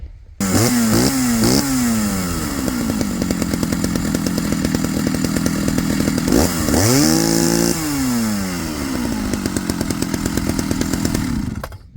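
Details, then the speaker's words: Chainsaw being carb-tuned after earlier running at a different temperature: blips, then holds a steady burbling high speed rather than a clean crisp scream; running rich on top, high-speed screw to be leaned out slightly. "I'm going to lean it out just a little more on top more"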